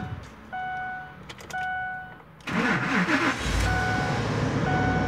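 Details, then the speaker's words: 2003 Lincoln Navigator 5.4L, crank-no-start; microphone near the driver-side rear wheel: two chimes, a brief crank, then a steady idle with the fuel pump relay bypassed, confirming a failed relay; junction box needs replacing. "you can see the vehicle did start but no problem so that just verifies hundred percent our problem it is the fuel pump relay"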